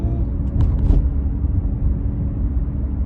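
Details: 2009 Cadillac CTS driving at around 25 mph: a steady low droning hum from the driver's side, from a worn wheel hub bearing.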